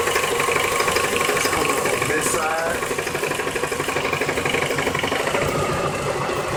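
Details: Car with a ticking that started two days ago and lasts from start until shutoff, somewhere around the oil pan: light, fairly steady tick about two per second over a smooth idle. Owner suspects something loose or the balancer; cause unknown.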